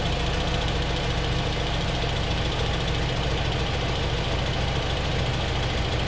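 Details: 2003 Honda S2000 at idle after an AP2 valve retainer swap and multiple valve adjustments: light fast, not sharply regular tick over engine note; top-end valvetrain ticking, cause unclear.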